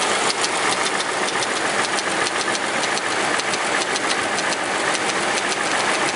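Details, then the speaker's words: Ford Explorer/Mountaineer 4.6 V8 warming idle with an uneven, alternating light metallic clatter about two or three a second, unlike a steady lifter tick; owner suspects worn plastic timing chain guides/tensioners; timing chain rattle. "because a lifter would be a solid tick. This is alternating back and forth."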